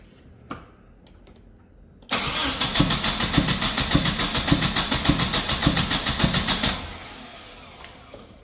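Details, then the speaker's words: Nissan 240SX with fuel system being rebuilt and injectors suspected: compression test while cranking reads 160, strong even cranking beats around 105 a minute with no weak strokes; good compression. "160 it's not too bad that's more than enough"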